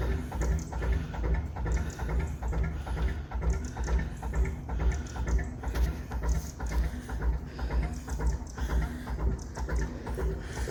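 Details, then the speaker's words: JP2 engine just started cold in December after three months unused: steady, even low thudding beat around two per second with no knocks or misses, plus the starting-mechanism ratchet freewheeling from the flywheel; healthy cold idle. "Always ticks over much nicer when it's cold."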